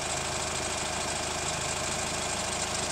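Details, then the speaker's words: Hyundai ix35 CRDi 136 hp diesel after a short warm-up drive, heard from wheel side: light regular crunching knock about one per second at hot idle, louder with longer driving; chain damper hydraulic tensioner replaced 1.5 years ago; cause unclear. "Ну вот я крутанулся, погрел движок, звук появился. Если бы я поездил дольше, то есть он был бы еще ярче, но в принципе и такого должно быть слышно."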